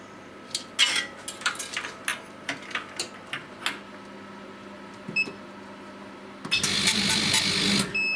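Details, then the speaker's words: Chinese laser cutter run with RDWorks, just after a new head was fitted and aligned: quick uneven laser pulse ticks over steady fan hiss, then louder rushing burst; firing sounds crisper, cut perfectly straight, head transplant successful. "can hear that sounds crisper. 11.7. As you can see, perfectly straight, no wobbles or anything. So that's a fairly successful head transplant."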